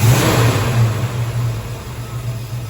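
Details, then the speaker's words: 1968 Dodge Dart sedan, 360 V8, single point distributor with 32° advance spread, 7° initial, 36° total: blip then revs sag and stumble, lazy off-idle bog; distributor needs a recurve. "um it needs a recurve anyway 32° that's just ridiculous so we'll be getting into that yeah it's just bog City when the advance comes in it's great"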